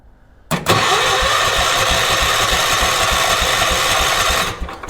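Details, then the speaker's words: 1980s ORVCO Transtrack UTV with spark and fuel in the carb bowl, owner unsure of cause and leaves it overnight: even starter cranking around three and a half turns a second for four seconds, never firing; cranks but won't start. "So, I can see that I've got fuel in the bowl. So, this should theoretically just start right up,"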